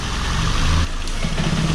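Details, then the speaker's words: Peugeot 206 three-cylinder revs then drops with rough, uneven firing. Unburnt fuel passes into the exhaust and bangs in the catalytic converter; spark plug or coil blamed, not injectors. Exhaust popping. "bom então pronto já deu para vocês verem isso é sintoma de um carro que o combustível tá passando o fruto para o escapamento tá"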